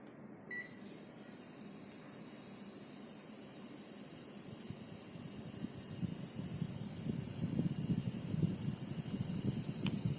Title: Nanoe-G purifier making a strange noise (Panasonic CS-S10PKP)